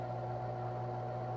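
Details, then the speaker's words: 1978 Brother Fairmont Automatic 12 (JP-12) electric typewriter, model 3612, made in Japan, switched on: its C-frame shaded pole motor gives a steady, even low hum with no scraping or rattle, running normally. "Oh, you can see it running too. It's got a C-frame shaded pole motor inside it."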